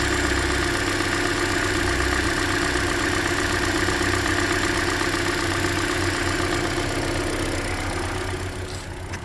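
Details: 2013 Hyundai Elantra, about 100,992 km, near yearly oil change, idling: quick steady tick about four a second near top of engine, loudest at cylinder 3 middle bolt; owner suspects piston slap or lifters, unconfirmed.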